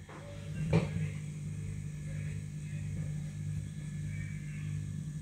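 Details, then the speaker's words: Eltax Atomic A10 10-inch 350 W subwoofer, idle: steady low mains hum/buzz from the power transformer, blamed on the transformer sitting too near the capacitors; transformer hum. "the problem is that this big transformer is too near to these capacitors"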